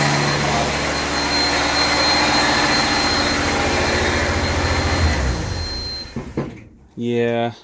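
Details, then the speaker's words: Refurbished truck just started, coolant not yet filled; fires with lumpy uneven beat then stumbles and cuts out, smoking, liquid coming out, no ticking; coolant seeping past loose intake manifold bolts causing misfire. "not liking the sound of that oh smoking yeah that's not good no ticking"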